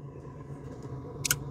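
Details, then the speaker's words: Gas furnace in its heating sequence after ignition: a quiet, steady low blower hum with no rattle or squeal and a couple of clicks near the end, as air is pushed across the hot heat exchanger into the ducts, running normally. "That blower motor is just pushing air across a hot piece of metal, which is your heat exchanger, blowing it into the system, throughout your duct system."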